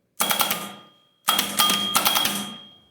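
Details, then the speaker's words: VW Beetle air-cooled engine (free engine being revived), starter not engaging flywheel: short bursts of high metallic clatter and ringing, no cranking; pinion not meshing with ring gear; owner loosened 17 mm starter bolts to adjust alignment, suspects starter itself (marked bad). "just not engaging on the flywheel so let me fool with this just a minute and we'll get you right back"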